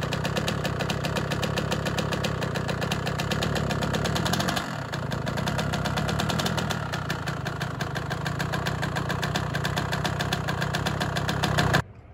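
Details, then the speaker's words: Honda CR125 two-stroke first start after cylinder rebore and replate, new Wiseco Pro Lite piston and new head; idle with a fast even light tick on every firing pulse; big end bearing suspected, unconfirmed. "so it started up but it's making a little bit of a noise i don't particularly like maybe a big end bearing i was hoping those were okay they felt okay but maybe not"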